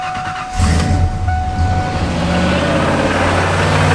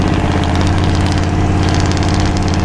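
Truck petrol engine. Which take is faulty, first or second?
second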